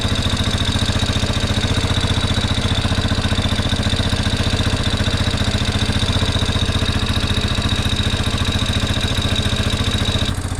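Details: 1987 Yamaha Big Bear 350cc 4x4 fire-burned parts quad, uncleaned carb, pod filter without airbox: single thumping at steady fast idle, even and regular; motor sounds good, normal idle, though wiring on exhaust was melting.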